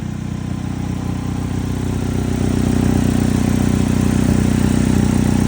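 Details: 2006 Chevy HHR with P0301 cylinder 1 misfire code: steady, even idle with a smooth, regular beat and no stumble or skip; engine running normally.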